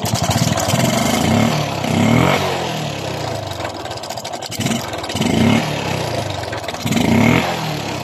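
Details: Suzuki Smash 115 motorcycle engine revved before its timing chain was replaced: uneven rev bursts with a dry metallic clatter riding over each blip, the rattle of a loose timing chain.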